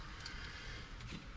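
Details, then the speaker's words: 2003 Ram 1500 wheel hub with new wheel bearing, spun by hand after replacing a grinding bad bearing: quiet, even low hum with no grinding, rumble or clicking, how a good bearing should sound. "Listen to this thing. How smooth that is. That's how a wheel bearing is supposed to sound whenever it's on your vehicle."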